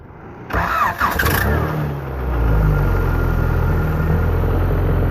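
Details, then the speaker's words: 2003 Mazdaspeed Protege with swapped Honda engine (F23 block, H22 head, GSR transmission), Honda ELD wired into Mazda fuse box, no check engine lights: starter whirs briefly, catches cleanly, settles into steady, quiet idle with a little tone. Normal start and idle. "Nice and quiet, has a little tone to it."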